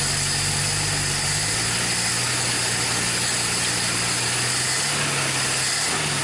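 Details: 1961 Dodge Lancer, Chrysler 225 six, first start in 30 years: steady idle with slight pitch wander, mostly hiss over it, no misses or knocks; running good.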